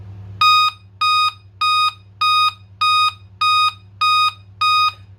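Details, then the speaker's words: Dell Inspiron 3542 motherboard (Cedar Intel FX3MC) after PSL_OUT# bypass no-power fix, RAM installed, no display connected: eight even high beeps under two a second over low hum; RAM and CPU initialize but no display found. "beeps attack එනවා කියලා කියන්නේ ඇත්තටම RAM එක initialize වෙලා DRAM preset එහෙම ඔක්කොම ගිහිල්ලා හරියටම CPU එක initialize වුණාම තමයි එයා check කරලා බලන්නේ display තියෙනවද නැද්ද කියලා. display එක නැති හින්දා තමයි ඔය beeps attack එන්නේ."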